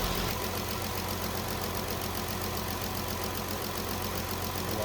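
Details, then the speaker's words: 2017 Dodge Journey after P0202 cylinder 2 injector circuit misfire repair with PCM replaced, not yet warmed up: even steady idle with regular light tick, no stumble; running smooth, injector pulse confirmed. "so PCM is in right now we're running smooth we do need to let it run warm up and then go on a test drive make sure that the injector is going to stay firing and everything's okay"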